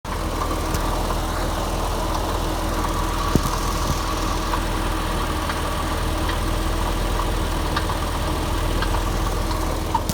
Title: 2001 Boxster S 986 engine rattle noise - failing water pump